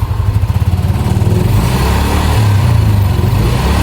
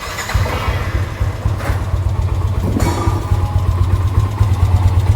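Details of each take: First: Yamaha NMAX after major service fixing a noisy engine (very loose cam chain, leaking chain tensioner, missing camshaft O-ring, worn block replaced; NGK plug, new oil): even, steady engine note, clean firm pickup, no rattle or tapping; healthy. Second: Yamaha NMAX scooter engine at idle, complaint of noisy engine: steady low thrum with loose clattery top-end rattle; cause found as slack cam chain plus missing O-ring at the camshaft.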